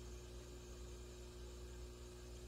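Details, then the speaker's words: Peavey VB-2 all-tube bass amp with buffered pedal in circuit at volume 5 to 10: quiet steady white-noise hiss, faint low hum, buzzing gone. "buzzing is gone now you're just hearing the white noise"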